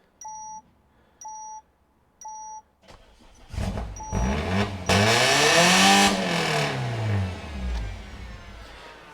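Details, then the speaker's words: Peugeot 308 GTi, first start after fitting a decat downpipe: three warning chimes, a long laboured crank catching into a loud, uneven rev that falls away; rough start with an engine fault warning needing a scan. "Someone's not happy. Did come up with engine fault. Need to scan."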